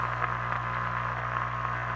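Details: 1935 Philco 84B regenerative radio after restoration and oscillator coil rewind: steady low hum under static hiss with weak station reception; suspected poor ground through the amplifier chassis rivet.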